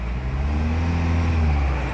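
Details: Audi Q3 diesel after full engine work: it revs up smoothly to full rpm and holds a steady deep hum with no knocking or rattle. Earlier knocking and black smoke came from broken parts choking an oil passage; now fixed.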